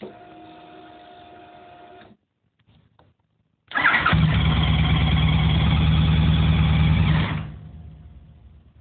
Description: runs 3 seconds,,, then turns off,,,, nice